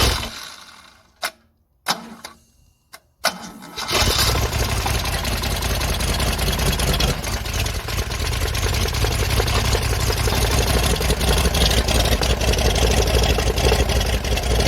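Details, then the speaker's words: Holden red six 202 3.3L after parts check, test-run with a 12-port head on a 9-port block, oil primed by cranking 30 seconds: a few cranking bursts, then it catches and settles into a steady, even idle with no knocks or misses. "First start, I have cranked it 30 seconds to make sure everything's okay. See what happens."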